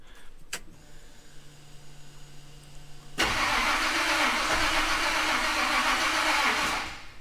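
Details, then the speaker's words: Ultimate Highboy truck with erratic spark and no-start; starter churns steadily at about four beats a second for over three seconds, never catches; transmission controller software shows no engine rpm reading while cranking, cause not yet found. "it's not reading anything so i don't really know if that's normal or uh if something's wrong there"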